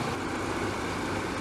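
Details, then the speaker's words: 1997 Chevy Astro van, about 20 years old, idling: a steady, even low rumble with no ticks or knocks; very smooth, doesn't overheat, good coolant hose pressure; a normal, healthy idle. "You can hear it runs great. There's no ticking, no knocking."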